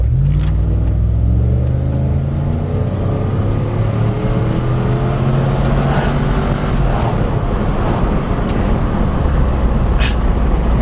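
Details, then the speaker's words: 1999 Ford Taurus SHO V8 driving, light acceleration: deep throaty exhaust climbing smoothly in pitch, no misses or rattles; healthy though slow. "Love the sound of this exhaust. It is slow as molasses though, man."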